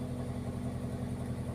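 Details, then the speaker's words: Toyota throwing igniter code P1315 (suspected ignition coil, wiring or PCM/ECM) that would not start or died after starting; after the code erase, a low, smooth, steady idle with no stumbles, no DTC, no check engine light: normal idle. "it's not dying there's no DTC there's no check engine light"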